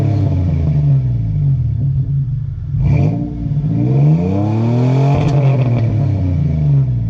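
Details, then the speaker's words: 2001 Toyota Tacoma 3.4 V6 with Flowmaster 40 series exhaust, after JB Weld sealing of spotty exhaust weld leaks: clean rev blips rising and falling smoothly, no puffing or ticking from the pipes; exhaust now mostly leak-free. "Such a fantastic sound. I'm so happy with how this came out, and I'm glad that it's mostly leak-free now."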